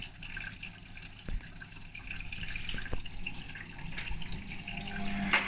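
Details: Hotpoint WMA32 washing machine, almost 20 years old, after repair, start of program K with two hoodies: soft rushing and trickling water with no grinding, pump roar or motor strain; normal fill.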